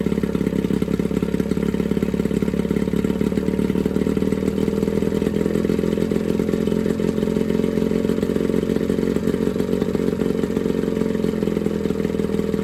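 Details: Johnson 9.9 outboard (kicker motor) after a carb kit rebuild and new plugs gapped to spec: steady, even idle with a constant buzzing note, no misses or knocks, pretty quiet; smooth normal idle.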